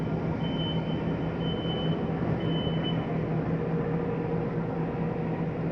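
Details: 2024 Flagstaff Shamrock 233S hybrid travel trailer, slide-out being brought in with the slide-in switch: steady, even motor drone with no knocks or hesitation. Normal retraction.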